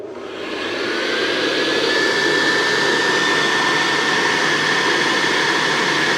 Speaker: the motors the motor the motor sounds fantastic on it and it just is completely transformed and now usable